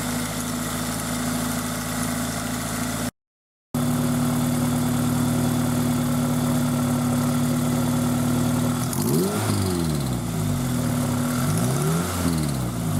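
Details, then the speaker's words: Toyota MR2 Spyder with 2ZZ engine at idle: light, quick ticking that climbs with revs, present when cold and gone after a minute or two of driving; owner suspects valve clearance, not confirmed. "so the engine's been making that noise uh pretty much since I bought it and um what I noticed was that it would do that in when it's cold and then after I drove it for a little while really only maybe a minute or two it would smooth out and go away"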